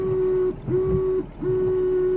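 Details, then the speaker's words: 2001 Ford Fiesta Mk5 with a second-hand scrapyard washer pump just fitted and reservoir possibly empty after draining: steady mid-pitched electric whir in short bursts with no sloshing; pump spins but nothing sprays. "And we still have nothing. I'll try putting a bit more wash fluid in it, or some sort of fluid, because it could have gone empty with the amount I've drained out, but we shall see."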